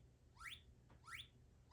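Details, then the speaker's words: JTM-style clone tube guitar amp cranked to 10, with no speaker: faint chirps rising in pitch repeat about every 0.7 seconds. The output transformer is audibly singing the test signal. "I can clearly hear the this the signal through the amp itself there's no speaker attached it's tremendous it's tremendously"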